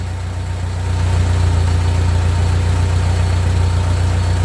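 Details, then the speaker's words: 1945 Ford 2N loader tractor: low, even engine beat settles after a slight rise and holds steady with no misses or knocks, some smoke; healthy, smooth idle. "Oh, it does smoke. Hey, it goes high. Hey There. Yeah, it does run nice."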